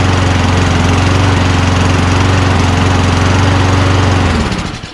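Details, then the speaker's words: Toro Recycler Personal Pace push mower assembled from two junk units. Even, steady engine note with a clean regular beat and no misses or surging, then winds down at shutoff. Rpm is about 2,800 against an expected 3,200. Runs normally. "I'm not gonna lie, I'm pretty surprised that it runs."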